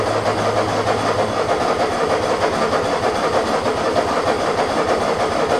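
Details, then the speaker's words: Troy-Bilt Mustang zero-turn mower: loud, raw, blatting twin-cylinder idle with harsh exhaust bark. "so while I'm here let's Crank It Up see how loud it is like I said these mowers for some reason are loud regardless"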